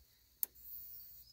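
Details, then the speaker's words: New replacement electric fence charger after the old one tested bad: one crisp snap over near-silent background with no follow-on second sound as the faulty unit made; normal charger pulse. "the last one was making an extra sound it was making the snap and then another sound too so not hearing that is making me feel better about this"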